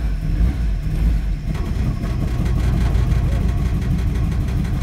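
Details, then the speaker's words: 2006 Mazda 6 with busted throttle body pigtail harness after DIY repairs, gas pedal fully down, fuel smell: low idle sags and wavers as if about to stall but keeps catching; unstable idle from damaged throttle body connector. "sounds like it's about to sell out and die but it doesn't this will consistently run just as you hear and see it"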